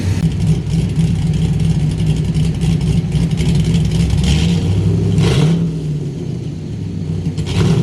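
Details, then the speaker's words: LS-swapped Chevy S10 Blazer after fresh spark plugs, running in the driveway: revs climb and fall with sharp cracks as the throttle closes, backfire (fireballs) on deceleration persists; fuel pressure reads 60 psi, owner suspects coil packs or spark, cause unclear. "Basically, just need to go drive this thing, see if it's still doing the fireballs on deceleration. I'm really hoping that's what it is."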